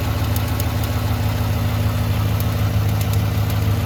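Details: 2018 Silverado 1500 5.3 V8 at idle: a light, uneven valvetrain-type tick over the steady idle rumble; owner suspects lifters or AFM cam, source not pinned down; engine ticking at idle.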